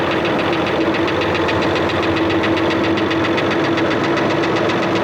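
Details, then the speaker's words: Diesel engine at idle with sharp, regular tapping at a quick steady beat. The owner suspects tappet clearance or a bent push rod, possibly from water in the engine; the cause is still unknown. "Got a bit of a knock in here. I'll probably hear it better through the camera than you can in the cab here."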